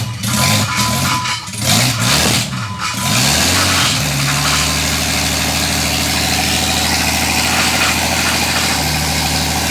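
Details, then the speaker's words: Engine in the owner's dream build, first start-up on new fuel and oil lines: fast, steady idle sitting noticeably high after the starting burst; throttle body open too far and running very rich, fuel to be taken out. "okay so the throttle Bo is too much sure uh it's very rich as well so we can definitely take fuel out"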